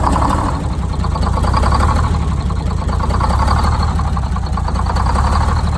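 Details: Detroit Diesel 6-71 two-stroke, first start after new 4-valve head and Davco 382 fuel filter install, valve cover off so not revved: steady, even idle with low drone, no misses or knocks; idle set via buffer screw, good oil pressure; normal idle.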